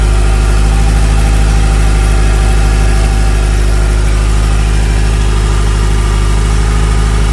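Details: 1981 Ferrari 308 GTSi, fuel-injected, 38K miles, 5-speed manual, idling with engine cover up: steady, even low burble with no knocks, misses or hunting; normal healthy idle.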